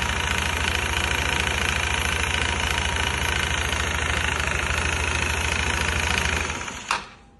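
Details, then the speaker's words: Kuba Brilliant 125 scooter idling with a deep regular knock about three times a second, sounding like a crank noise, traced to play in a worn front variator. "Bak Evet olayın sorunu bu ön varyatör Çu boşluğu Görüyor musun bak Evet o ses bu abi"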